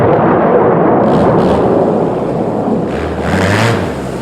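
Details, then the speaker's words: 2010 Arctic Cat Z1 Turbo snowmobile with new aftermarket muffler replacing the heavy, overheating OEM one; deep loud exhaust rumble with throttle blips rising and falling, engine pulls cleanly, nothing abnormal; normal revving. "I think it sounds pretty badass like I can't wait to this weekend"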